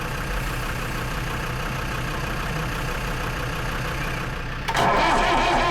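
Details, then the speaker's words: Lansing Bagnall Model A tug, Perkins P4 diesel in poor shape, sat a long time, cold start: steady cranking at about three turns a second, then ragged bursts as it tries to catch. It has compression; the owner suspects not enough glow heat. "they are notoriously difficult to start from coold and know this one's been sat for so long could be just that we just got to keep persevering"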